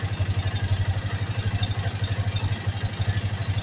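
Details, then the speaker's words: Yamaha Vixion after engine rebuild for bent valves and lost compression, cam chain not replaced: even idle with light metallic clatter, stretched cam chain rattle. "Oke motornya sudah hidup ya di sini dan di sini masih ada suara keteng ya suara keteng karena ketengnya tidak diganti"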